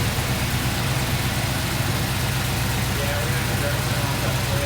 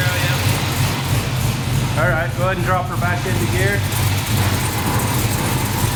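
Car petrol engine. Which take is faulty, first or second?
first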